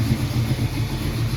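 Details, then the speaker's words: 1968 Mercury Cougar after swap to a new 347 roller V8, transmission reinstalled: idling smoothly with a deep, steady burble, no knocks, ticks or misses after a couple of minutes running; goes into drive, no oil drips from the earlier leak. "Okay, I've had it running for a couple minutes now, and it goes into drive and everything."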